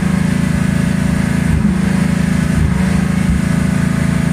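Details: 1984 Ford Mustang 5.0 V8 idling with a lumpy beat and a stumble about once a second: misfire from failing 12-volt primary ignition circuit, pickup coil and module already failed.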